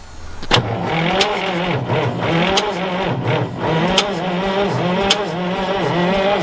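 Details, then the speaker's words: Abandoned bullnose white cabover semi diesel, parked about 20 years, on two hooked-up batteries, cranks slowly with a labored compression beat about every 0.7 seconds and no catch; owners suspect the batteries lack enough juice. "It don't sound like it's got enough juice. Huh? It don't sound like the batteries are big enough."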